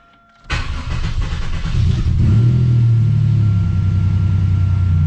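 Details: Buick GS after Big 3 power and ground upgrade with zero-gauge wire, key start with A/C off in rain: short crank, catches at once into an even steady idle with no stumble, charging at 14.4 volts.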